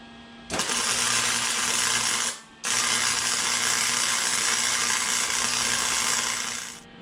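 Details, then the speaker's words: Harbor Freight Flux 125 flux-core welder with heat and wire speed turned up on fairly thick steel: steady even sizzle with little popping and one brief arc pause, much more consistent than the earlier low-setting weld. "All right, so as you could tell from the sound of that weld, it was a lot more consistent. There was a lot less popping. That's because I had the heat turned up."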